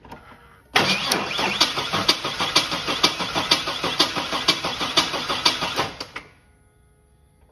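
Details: 2001 Chevy S10 4.3 towed in for no-start, low fuel pressure suspected: starter churns the engine at about two compression beats a second for five seconds, never catches; cranks but won't start.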